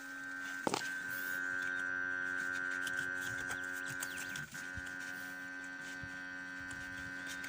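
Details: ZMZ 405 engine that stalls, backfires and hunts idle, ignition on, engine off: steady, even electrical hum at fixed pitch; source unconfirmed, owner suspects a faulty connector or wiring.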